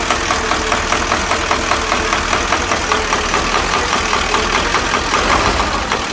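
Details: KamAZ diesel truck engine running: loud clatter with a sharp regular tap about once a second; engine knock, plunger suspected, not confirmed.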